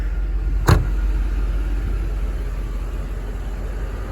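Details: 1991 Mercedes 500SL R129 V8, about 73,000-75,000 miles, rarely driven; idle with engine and fan running, low even rumble with one brief early click, smooth and steady, nothing out of place.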